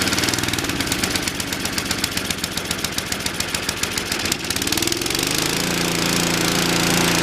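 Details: Toro 521 snowblower running after sitting over 10 years, fitted with a replacement aftermarket carburetor: the small engine chugs steadily, then picks up to an even, higher drone and holds it cleanly at full throttle.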